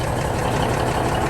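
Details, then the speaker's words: 1971 Peterbilt 352 diesel, first run in 30 years after air tank replacement, running off a 5-gallon jug: deep steady rumble with regular clatter, air pressure building, oil light out, no major air leaks heard; healthy idle. "Man, listen to that thing. Sounds good. I don't hear any major air leaks out here."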